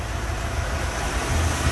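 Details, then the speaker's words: 1970 Mustang Mach 1 V8 (non-original engine) after new spark plugs, power steering belt and air filter: steady, even low idle rumble, no knocks, ticks or squeal; smooth and quiet, big improvement. "actually running pretty smooth nice and quiet way big difference"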